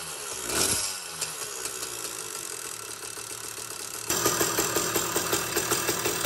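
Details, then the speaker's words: Phantom 85cc two-stroke motorized bicycle engine: small buzzing with a loose, irregular metallic rattle that grows louder as revs rise; the stock piston pin bushing's inner coating was coming apart and it was replaced with an aluminum-bronze bushing. "luckily I heard a rattle noise coming from the engine as a matter of fact if you hear this clip right now you can definitely hear it"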